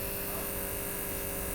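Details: Gasoline fuel injectors on a cleaning/test bench after ultrasonic cleaning, run at 6,000 rpm with 2.2 ms on-time for 30 seconds: fast, steady, even buzz of injectors clicking with no skipping or stutter; firing properly.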